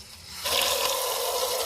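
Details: Newly installed Delta Portwood bathroom faucet, aerator just hand-tightened back in, opens to a smooth, steady hiss of water with an even stream and no sputter or whistle; normal flow, no leaks seen.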